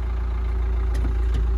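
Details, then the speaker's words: Crash-damaged 2019 Nissan NV200 diesel panel van, first start after clearing fault codes: steady smooth low rumble, no knocks or misses; sounds like no intercooler but the engine sounds sweet. "it sounds like there's no intercooler that engine sounds sweet"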